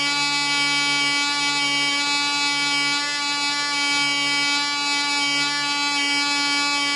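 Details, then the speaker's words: Black Widow mouse racer first test run, 24% nitromethane fuel, 5x3 prop, high-compression head, needle at three turns: smooth steady high buzz with slight sag mid-run, won't shut off when vent closed; air leak past loose screws. "it sounds like it's running smooth it just won't cut off when I close the vent so got a little air leak somewhere"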